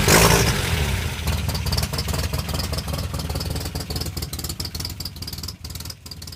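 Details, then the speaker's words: 1984 Toyota Pickup 4x4, 22R engine in 22RE conversion with no knock sensor fitted: engine catches and runs rough and loud, rapid uneven clatter over a deep rumble; excessive running noise, no clear cause. "Alright, so this thing's kind of loud. Hopefully you can hear me right now."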